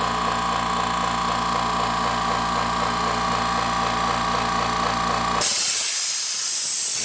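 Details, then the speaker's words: California Air Tools 10020C compressor (2 hp, 10 gallon tank) on initial startup: steady motor hum for about five seconds, then the pressure switch cuts out with a sharp loud air hiss; normal cut-out and unloader hiss, regulated and tank pressure about 125. "okay all right well yeah cut off so looks like we got on the regulated side what's that about 125 same on the tank pressure"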